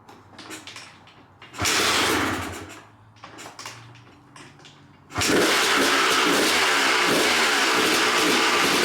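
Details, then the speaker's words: Abandoned 1997 Suzuki RM250 two-stroke first run after sitting, on choke: crackles and blips unevenly then revs hard and steady with blubbery, very smoky edge; runs rich with choke on. "All right, you guys saw the bike running with a choke on."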